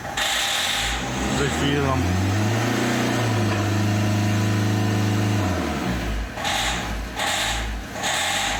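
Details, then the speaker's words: Opel Vectra C Z19DTH diesel with injectors found fitted with double washers, refitted with single washers and donor injectors: rough, uneven running that holds only while starting spray is applied, then falters and dies. It will not run on its own fuel. "Поки пшикаєм, працює. Поки не пшикаєм, не працює."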